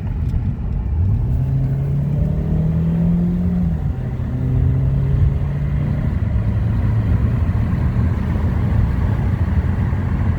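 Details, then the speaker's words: Ford Focus on a highway test drive after transmission replacement, filled with motorcycle rear-end oil, fifth-gear noise gone after a new bearing: engine note climbs through the gears then holds a steady cruise over road rumble, no synchro grinds or whine; gearbox healthy. "slowed back down off the highway no Synchro grinds no weird noises or anything I'm so happy I could cry so far so good"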